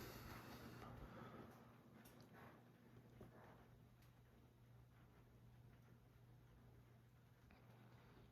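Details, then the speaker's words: Fanimation Islander 52-inch ceiling fan from 2001, polished brass with wide oval natural palm ISP1 blades, running on high at about 40 RPM. Quiet steady low hum with soft air hiss and blades rustling through the air, no ticks or wobble. It runs smoothly and normally. "These fans are definitely not known to be fast by any means of the imagination, but it still throws out a decent breeze. Like I said, breeze comes out towards you here in this perspective, not straight down. And of course, you can hear the blades rustling through the wind."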